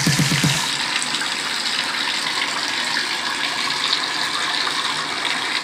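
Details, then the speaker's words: Gas water heater tank refilling after its first drain in 14 years: steady hissing rush of incoming water that holds level until the tank is full, then stops. Normal refill flow noise. "you will hear the sound like this until the tank is filled it's completely filled up with water"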